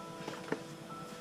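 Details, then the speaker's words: Sailboat electric motor that won't run or light its display: a few sharp separate clicks as power is switched on and off, no motor run; solenoids and controllers get power, so the fault lies elsewhere. "hear the solenoids clicking so we know we're getting power to the area"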